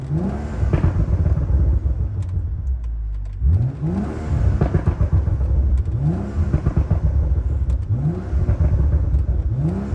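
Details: BMW M135i after full rebuild from a wrecked state: crisp repeated rev blips, pitch climbing cleanly with each stab of throttle and dropping back, no knocks or rattles; healthy, normal revving.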